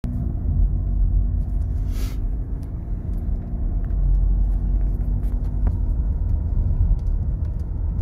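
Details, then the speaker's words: Seat Leon 5F driven at higher speed after fixing a rattling instrument cluster by taping felt pads around its mounting tabs: only low, even road rumble, no ticking or buzzing from the dash; no rattle. "auch bei höheren geschwindigkeiten absolute stille ja das ist echt von seat eine ganz schwache leistung"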